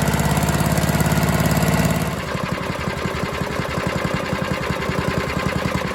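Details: Troy-Bilt chipper/vac with a 5 hp small engine that sat for years, after fuel line replacement and carb service. It settles from a higher speed into a steady, even firing beat; runs clean and healthy.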